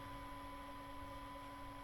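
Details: Orange AD200 MK3 200 W bass valve amp head on the bench, driven hard into a hot-plate dummy load, about 970 mA to 1.18 A drawn, no red plating: steady even fan rush with constant mains hum, no crackle or surging; normal operation under load.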